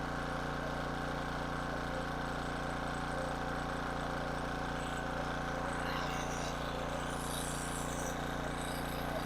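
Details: King Canada 1500 W generator, Chinese engine: constant, even drone at steady speed, no surging, hunting or misfires; running back to normal.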